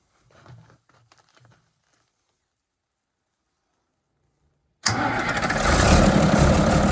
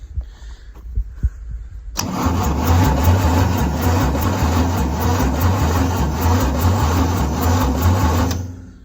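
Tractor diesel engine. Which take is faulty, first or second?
second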